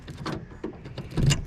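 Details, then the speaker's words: Toyota FJ Cruiser after replacing door handles and mirrors: a few quick, crisp thunks a fraction of a second apart as the power locks cycle, including the back door lock, each snapping home cleanly; working normally. "I can hear the locks, even the back door lock on here when I turn that one."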